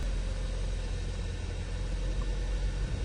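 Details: 2011 Hyundai Sonata idling right after fuel pump replacement fixed a crank no start: quiet, smooth, even low hum with no stumbles, ticks or hunting, a clean healthy idle.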